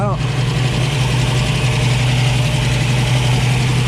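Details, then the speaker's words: 1965 Ford Mustang Fastback V8, 4-speed, headers and Flowmaster dual exhaust, cool engine: fast, steady drone well above a relaxed idle; choke likely not engaging so idle was set high, later turned down. "air cleaner is barely even warm even though it's idle it's up so high the choke's probably not engaging that's probably why they had to idle up"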